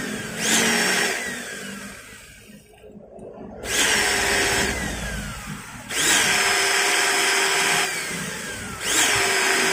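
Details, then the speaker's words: Maktec MT90 angle grinder, worn upper pinion gear removed, motor tested alone in short bursts: rough, scratchy sound like armature rubbing the stator and changed vibration. "Nah suaranya masih terdengar kasar dan seperti gesekan juga ya antara armatur dengan gulungan stator dan ini terasa getarannya juga berbeda"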